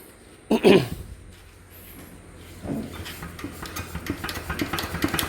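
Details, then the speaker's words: ET110 single-cylinder diesel with a sharp metallic "kek-kek" knock over rough idle, building as it runs, plus white smoke; still usable; suspected small-end bushing failure or melted crank bearing, judged piston pin knock. "อ่าอาการมันเป็นยังไงนะพี่>>มันเขกดังเก๊กๆๆๆๆๆ"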